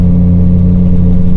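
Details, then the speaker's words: Lifted Ford E-350 Econoline V10 van flat-towing a 1992 Geo Tracker, 2,500 lb, up a steep grade: deep, steady drone at low revs with no rise, engine labouring under heavy load; owner feels it needs a re-gear. "Yeah, you can hear it too. Yeah, that's steep."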